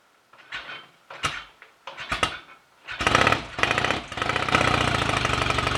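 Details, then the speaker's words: Royal Enfield Rickman Interceptor 750cc parallel twin, first start after owner engine rebuild and gearbox rebuild, timing not yet strobe-checked: catches after a few kicks, crisp steady beat, no knocks or rattles; sounds good mechanically, though fuel taps and pipes leak. "but we're almost there with it now it sounds good mechanically it started willingly enough so"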